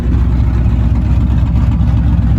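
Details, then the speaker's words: Muscle truck with Holley Sniper EFI, idling after a failed injector was repaired and tuning was done, Magnaflow exhaust with cutouts open: deep, loud V8 idle with a lopey cam chop, steady and clean. Normal cam idle, finally running right. "Oh man, I'm so hot that this thing is finally running right. Listen to that chop too, boys."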